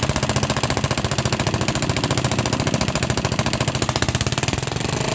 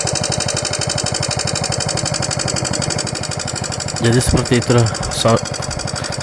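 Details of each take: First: Yamaha Jupiter MX after repair of a loud ticking that persisted despite replaced rocker arms, with a racing exhaust fitted: loud, crisp exhaust beat with a steady rhythm and no tick; valve gear sounds quiet and healthy. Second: Yamaha Jupiter MX that still ticks after replacing rocker arms: fast, steady, loud metallic tek-tek ticking at idle, from a loose rocker shaft worn in its head bore.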